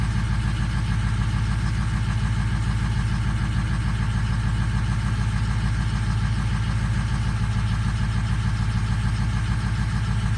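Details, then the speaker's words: 2004 Powerstroke diesel with a long crank when cold, at cold idle with an uneven lumpy beat of about 100 pulses a minute; number 4 reads low and misses, clears briefly, then returns. "So number 4 is a little low. You can feel it, it's missing right now."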